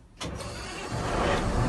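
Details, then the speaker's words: Construction grader diesel that had shown no power: batteries were found charged, and once the battery isolator key on the opposite side was turned, a brief crank led to a quick catch and a steady, even run. Normal start with no new batteries needed. "As you can see, the vehicle starts right up."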